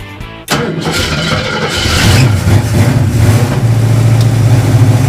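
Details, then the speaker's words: 2012 caged, street-legal dirt car with trans and oil coolers, first fire-up after the fuel pump was heard priming. Brief crank, then it catches at once into a strong steady rumble with no misses or knocks; 60 psi oil pressure, healthy. "Sounds good. Can it be that easy? 60 pounds of oil pressure."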